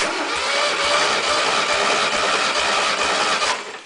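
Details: 1600 VW engine, about 100,000 miles, compression test with plugs out: steady starter whir with even compression pulses, cylinder one about 115–118; runs rich at idle, cylinder two suspected slightly burnt exhaust valve.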